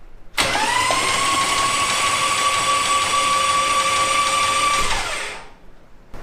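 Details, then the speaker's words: Nissan VH45DE engine just reinstalled, cranked with the spark plugs out to build oil pressure: a steady, even starter whine at one pitch for about four seconds with no grinding; it spins freely and oil pumps. "we're gonna crank over the engine make sure it turns over and starts pumping oil through the oil pump"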